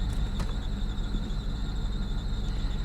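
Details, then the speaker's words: Salvage auction car showing engine malfunction and reduced-power warnings. Lumpy idle of about three uneven beats a second with dropped pulses; it misfires hard. Hard engine misfire. "the longer this thing runs the more problems it has it does go into gear yeah she is misfiring hard"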